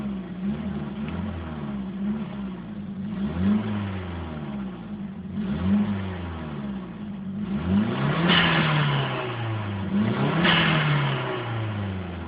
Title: Sr20 exhaust leak on stock exhaust